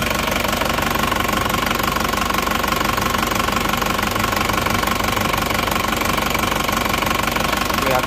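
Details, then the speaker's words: Isuzu Panther diesel that had 15 bar compression, cold start after repair: settles straight into idle when the throttle is released, steady at about three beats a second with no misses; the earlier fault is gone. "kita lepas gasnya ternyata langsung bisa stasioner hidupnya seperti ini sudah hilang ya tidak seperti"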